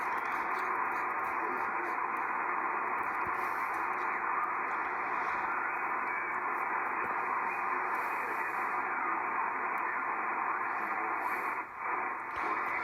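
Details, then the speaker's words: Early-model Drake R4C receiver with 6HS6 mixer tubes, very dirty, with worn switches and an off-frequency crystal calibrator: steady hiss and faint single-sideband voice come through evenly with no crackle or dropouts; it works. "but yeah this one works it's just filthy"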